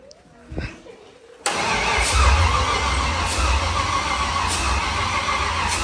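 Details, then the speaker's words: Nissan S14 with LS V8 swap on first-start attempt; starter cranks steadily about four pulses a second with no catch, fuel pumping but injectors not firing. "I'm just trying to see if there's any fuel coming out so I don't see injectors fire firing they should injectors should fire cuz fuel is pumping"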